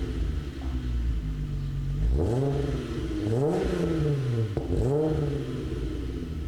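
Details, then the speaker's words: 1998 Volkswagen GTI VR6 with Magnaflow exhaust, original owner, driven on road; smooth exhaust note rising and falling cleanly through the gears with no knock, misfire or rattle; healthy engine; owner notes a suspected worn front-right bushing. "so you can hear the magnaflow exhaust"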